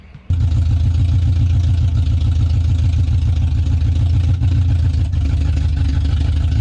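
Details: Older Chevy truck started and backed up about 40 feet under its own power for first time, cooling well; deep steady even rumble, no knocks or misses — normal running.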